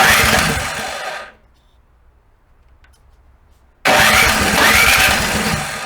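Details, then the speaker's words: Snow blower after summer storage, first winter start: two long cranking bursts with a steady pause, engine spins but never catches; no start from stale fuel in the carburetor float bowl, drained via bowl bolts, choke and prime. "you know when I start the blower first time in a winter it won't start so make sure everything gets okay round chalk and prime it"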